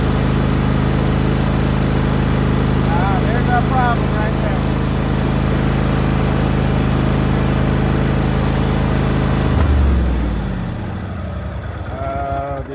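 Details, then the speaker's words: John Deere riding mower during diagnosis of a battery that won't charge: a steady, even engine drone for about ten seconds, then an abrupt cut-out that winds down to silence. It ran out of gas. "Did we just run out of gas? Hang on, it just stopped for some reason."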